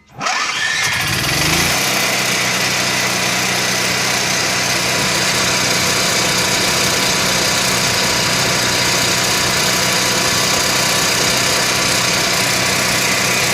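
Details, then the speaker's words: Onan 4000 Microquiet generator after replacing a flooding carburetor that spat fuel: it cranks, catches within a second and settles into an even, steady drone with no surging; healthy running. "so once I started up got it all taken care of brand new carburetor in it let's prime it first fire it up it's going to be loud here we"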